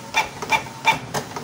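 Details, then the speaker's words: Canon IP2770 printer with broken, shifted prints and colored nozzle check, sometimes pulling paper and jamming: five jerky clunks about a third of a second apart instead of smooth carriage sweep; cause unconfirmed. Rough stuttering carriage movement. "kadang bisa kadang ini narik macet ya Coba suaranya kasar ya"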